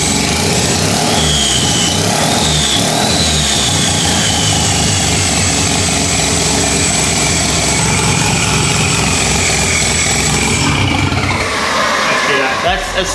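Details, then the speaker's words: 13B turbo rotary drift build, first runs after timing adjustments and with no coolant: loud, uneven running with a wandering turbo whistle. Smoky with probably too much oil in the fuel; running but untuned. "it sounds like it's running funky it's the timing is doing whatever it wants at the moment"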